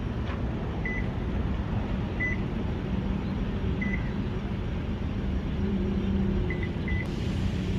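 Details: Lexus LX570 after a starter solenoid replacement fixed a no-crank no-start. Low, even engine rumble with a few chime beeps; normal idle after starting.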